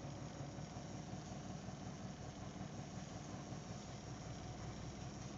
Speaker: I can hear it I can feel it through the steering wheel a bit of a thumping kind of noise sound thing